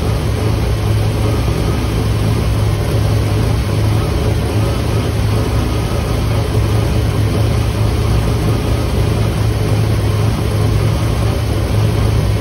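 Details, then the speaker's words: Rough, uneven lope at idle with no clean settle from a 1958 Chevy Impala 348 V8 just revived after years in a garage; ignition timing is way advanced, and the dwell is way off and not yet adjusted. "all right listen to that thing idol it was way advanced on the timing so i pulled that down"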